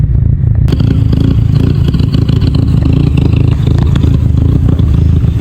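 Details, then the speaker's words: MK5 VW Golf GTI, warm idle after adding fuel: rough, uneven idle with irregular stumbles, a multi-cylinder misfire logged on cylinders 1, 2 and 3. Engine light is on but not flashing; fault codes rose from six to eleven. Cause not found. "yep still misfiring engine L still there but it's not flashing"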